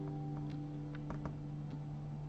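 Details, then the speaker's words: Guitar recording on Windows: sharp random clicks and glitches break through a held guitar note about every half second, sounding like a buffer underrun though the buffer is not underrunning; audio clicks and dropouts. "You hear it sounds like a buffer underrun, but I am definitely not underrunning my buffer."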